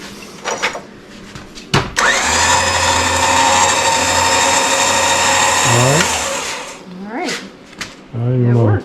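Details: Harbor Freight 9500 lb winch just installed on a 2002 Jeep Wrangler TJ, first test after plugging in the control; steady high motor whir with gear whine for about four seconds, then stops; runs smoothly, normal.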